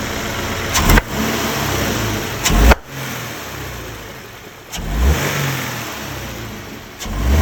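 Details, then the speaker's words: Subaru BRZ FA20 engine revving under load: sharp loud pops every couple of seconds, intake backfire/pre-detonation-like, worse under torque; cause found to be a missing direct injector seal. "Yeah, there's some pretty intense noises. So I've nailed it down to the engine. We're not quite sure exactly what it is, but it sounds very much like pre-detonation or like backfires from the intake."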